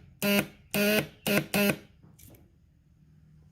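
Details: ATV pressed to start with a weak battery: four short harsh buzzes on each press of the start button, no cranking; the battery, relay and starter were tested.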